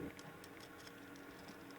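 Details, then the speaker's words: Old synchronous 120VAC motor and gearbox driving the rocking ship in a Cutty Sark whiskey bar display, reassembled before repair, dirt in the gear teeth: faint low hum with irregular ticking, weird motor sound, possibly normal or from age. "the um motor and the the gears are meshing okay except like i said there's some dirt in there but that motor is making a really weird sound it's probably normal but it's probably also old"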